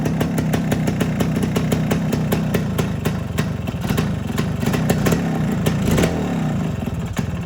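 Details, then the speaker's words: 1973 Suzuki TS250 Savage two-stroke single, barn find after 25 years, on regular gas before first ride: crisp, even popping with light throttle blips, firing regular and clean; normal running and revving. "seems to be running well."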